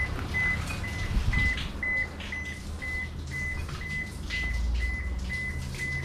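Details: Toshiba washing machine that won't wash or spin while the drain keeps running: a steady run of short, even, high error beeps about twice a second over a faint hum, with a flashing light. The drain motor or the board is suspected, not confirmed.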